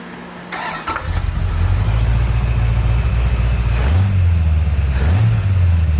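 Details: 1970 Plymouth Road Runner, freshly rebuilt 383 V8, first run in the car after a new temperature gauge, new upper hose, a fixed oil-pressure-line leak and a new fan toggle switch: brief crank, catches, steady even lope with light blips; normal idle.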